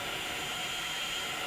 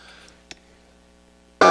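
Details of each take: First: Roberts R600 table radio on first power-up after repairs (309s fitted), run on 9 V into a bench speaker: steady hiss with stations drifting in as the dial moves. It works with good volume and tunes normally. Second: Roberts R600 AM/FM table radio on the bench, half-volt test signal fed into a transistor stage: the tone comes through in harsh buzzy bursts that jump and waver as the stage breaks into oscillation; owner suspects an unstable power supply and bad capacitors despite good ESR readings.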